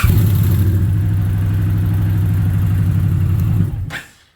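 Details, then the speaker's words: 2021 Indian Challenger, about 50,000 km: starter cranks slowly and laboured at about four turns a second, dragging and stopping without catching, where it used to fire straight up; suspected worn torque limiter gear, to be replaced. "Never used to make that slow drag. That it always used to run just boom, straight fire up, but now it's got that drag."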